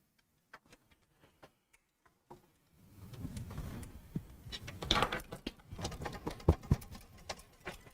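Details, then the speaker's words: Computer case being tipped: light metallic clinks among duller plastic cable rattles, suspected loose screw bouncing inside the case, not yet found. "So a lot of what you're hearing are the cables rattling around, but you can definitely hear when metal hits metal versus when these plastic cables are hitting the case. It's a very distinct sound of a screw bouncing around."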